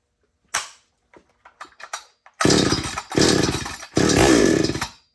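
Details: Chainsaw started with a few sharp pulls, then catches and runs in three quick throttle bursts, revving clean and even between pauses; normal running.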